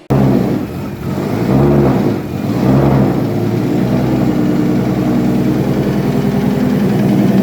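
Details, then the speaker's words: BMW E81 drift car with M50 engine rebuilt with forged AMP44 pistons, first runs: uneven stumbling idle with a light knock; misfires caused by a faulty crank position sensor outputting 0-1.1 V instead of 0-5 V. "After some investigation, these misfires were caused by faulty crank position sensor."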